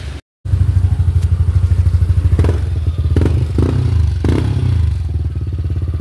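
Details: Yamaha NMAX v2 super stock scooter after its timing jumped and a manual cam chain tensioner was fitted; the valves were not bent. Steady, even low thrum with a clean beat and no ticking: valve timing is correct and the earlier noise is gone.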